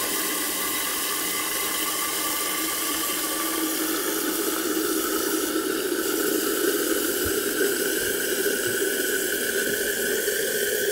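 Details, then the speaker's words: Toilet with a condensation-free plastic inner cistern after a flush: steady hiss of water as the float cup drops with the water level and the inlet valve refills the cistern normally. "samtidig med at vandspejlet falder ned så falder selve flyder koppen med ned og så tager cisternen eller ventilen her nyt vand ind i"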